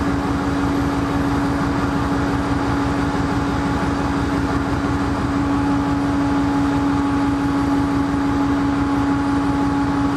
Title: Sidelined KCS ES44AC #4815 with a rough idle - BNSF at Wenatchee, Washington